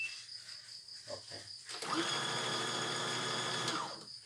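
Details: Embroidery machine after owner's own rotary hook installation and adjustment: about two seconds running with fast light ticking mechanical chatter over its hum; rotation found heavy, sensor OK.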